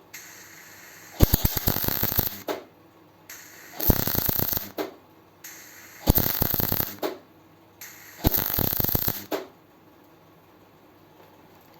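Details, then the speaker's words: MIG tack welding a donor-car patch on a 100E Anglia: four one-second crackling bursts with short even pauses, the first sputtering, then steady, showing a pacing to it; normal MIG tack welding. "It then sputtered, didn't it, on the subsequent one? It sputters on the first one, and then it welds, okay. So there is like a pacing to it."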